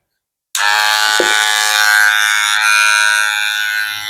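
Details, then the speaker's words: Wahl Magic Clip cordless clipper after motor (dinamo) service, starting at full speed with a loud, harsh, rattly buzz; power back to normal but noise traced to a dragging cam follower. "Nah, sekarang kita coba gimana caranya ngatasi bunyi bising yang seperti ini. Nah, kita ada dua ketemukan tuh dia seret di sini."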